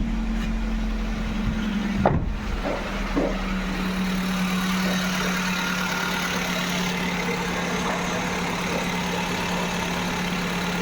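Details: Maruti Suzuki WagonR being checked for overheating/head gasket, plain water in cooling system: even, steady idle hum with no knocking or misfire; no bubbles seen in coolant, engine running healthy.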